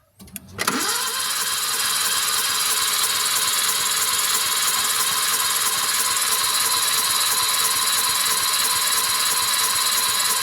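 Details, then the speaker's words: Suzuki DF51V turbo kei minivan, cylinder 2 compression test after valve adjustment, initial reading was 25 psi: steady, even cranking about three beats a second with no stumbles for ten seconds; compression sounds even and healthy. "So this is cylinder 2 compression test after valve adjustment. Our initial reading was 25 psi."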